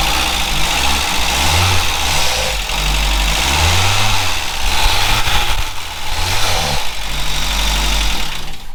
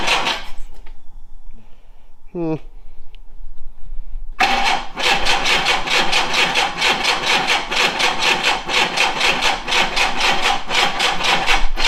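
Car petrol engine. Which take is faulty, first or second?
first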